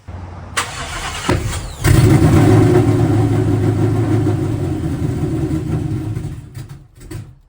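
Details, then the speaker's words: Cobra on stock tune with Comp cam and Ford Racing 24 lb injectors, idle screw opened about half a turn: cranks, catches with a pop, idle wavers, sags and dies after about five seconds; still backfiring, cause unknown. "I still hear the car backfiring a pretty fair bit. I don't know why that is,"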